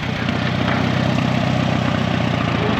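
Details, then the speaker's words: 1936 Allis Chalmers WC tractor barn find, driving after decades, tried in third, road gear and reverse: an even low rumble of the old engine pulling, with no gear howl or groan; the transmission is quiet, unlike typical groany ones. "This thing's got a quiet transmission too. A lot of times they're pretty groany. Howl a lot."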